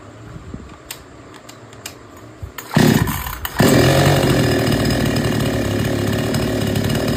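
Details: Chainsaw after setting the H and L screws fully tight and backing the H screw out 3 turns: a few clicks, then it revs up and holds a steady high buzz cutting wood, pulling cleanly under load.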